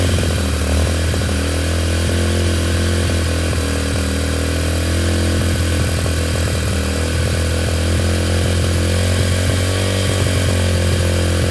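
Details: Yamaha TTR125 just restored, first run after reassembly, started with brake cleaner: the small single thumps unevenly, pitch wandering and hunting instead of settling to a steady idle; running rough.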